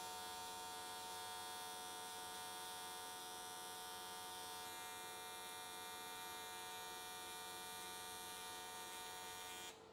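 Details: AC TIG welding an S13 catch can, likely aluminium, at 95 Hz square wave. Steady, even, bright crisp buzz with no sputter for nine seconds, then it stops. Normal, stable arc, judged a good choice that carried the weld around in one session.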